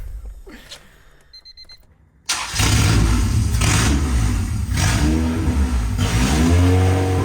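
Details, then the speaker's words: 1996 Honda Civic EK hatchback with swapped B16 engine, first start after the swap, possibly without idle adjustment: cranks briefly, fires up, then clean throttle blips rising and falling with steady idle between; engine starts and revs fine. "oh yeah it started okay one more time all right I think I might not have any like idle or idle adjustments so let me give it some uh give it some gas here oh yeah it works it runs"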